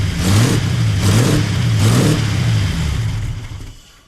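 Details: 1939 Buick coupe with 248 straight-eight on a weak battery, after new coil and points checked, valve cover back on: picks up cleanly through three quick throttle blips, revs evenly without misfire or backfire, then settles down; runs well.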